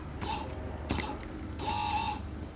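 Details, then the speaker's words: 2004 BMW E46 330ci SMG transmission pump, bench-tested on an 11.64 V battery after a cog warning stopped shifting: short bursts of an even, high electric whir as power connects; pump motor runs normally. "if you don't hear that motor sound you got a problem with the motor"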